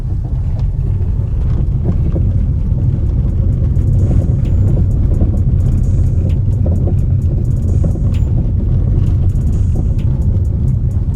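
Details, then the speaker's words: Irregular hollow "tuc tuc" knocks through heavy road rumble as a Hyundai HB20S automatic, around 62,000 km, drives over rough pavement: suspension knock. "sei se dá para ouvir aí esse tuc tuc tuc tuc direto tempo todo"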